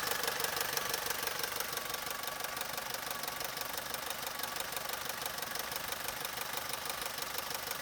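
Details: Opel/Vauxhall Corsa 1.2 Z12XEP 80 hp at idle: steady bright metallic rattle about three ticks a second over the idle, little low rumble; worn timing chain.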